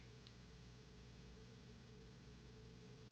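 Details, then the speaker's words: New Taurus 66 Combat .357 Magnum revolver, slow trigger pull on the chamber starting to go out of time. Silent with no notch click, then one sharp snap as the hammer falls. Late lockup from early timing wear, though still technically in spec. "And then once again, the one that's starting to go out of time, we go nice and slow. No notch."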